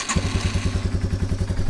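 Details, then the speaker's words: Motorcycle with an owner-suspected leaking fuel valve flooding the carb: catches on the first try into an even thumping idle, no stumbling; starts every time because fuel no longer drips into the carb, not because it's warm. "fires right up every single time now. Not because it's warm, but because it's not dripping into the carb."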